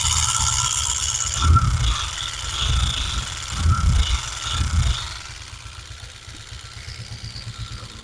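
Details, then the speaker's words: Honda Pridor motorcycle idling: irregular metallic clatter about once a second over the single's low thump; mechanics blamed the timing chain, but the cause is loose plates in the flywheel magneto rotor. "आप आवाज़ सुन सकते हैं कि कितनी ज़्यादा ख़तरनाक आवाज़ है ये। लेकिन आपको अगर किसी भी मैकेनिक के पास अगर आप बाइक लेके जाएंगे तो आपको वो यही बोलेगा इसकी कि टाइमिंग चैन ख़त्म है।"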